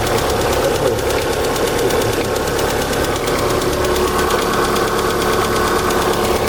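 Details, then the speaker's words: Light, uneven top-end ticking about three per second over a busy idle, rising with crankshaft speed and stopping once warmed to 70 degrees; piston knock judged unlikely, hydraulic lifters suspected, cause unclear. "Короче, пока до 70 не нагреется, будет цокать вот так стучать."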